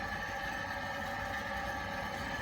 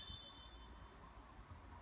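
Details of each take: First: Glow-worm Micron 30FF boiler fan: a steady, strained whirr with a high whine. The heating sometimes fails to come on, and the fan is being replaced. Failing boiler fan. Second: New replacement fan for a Glowworm Micron 30FF boiler, spun by hand: spins freely and longer, nearly silent, with no squeaking or rubbing, unlike the old jammed, laboured fan.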